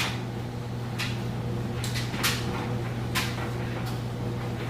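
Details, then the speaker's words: GE high-efficiency electric dryer on timed dry, regular high heat: a steady low hum with soft thumps of tumbling clothes and no vibration, squeak or squeal. The drum runs smoothly, as normal. "as you can hear it's nice smooth sounds great things you'd want to listen for view like vibrations squeaks or squeals or anything like that"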